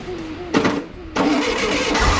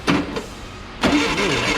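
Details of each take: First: VW 1641cc engine for an oval Beetle, first start on a bench stand: it cranks, catches, and runs loud, smelly and ragged at a fast uneven pace. It won't settle to an idle because timing and carburettor are still unset. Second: VW 1641cc engine for an oval Beetle, first start on a bench stand with the timing possibly just stabbed in and no starter fluid: a short crank burst, a pause, then brisk cranking catches into a run. Normal cranking and start.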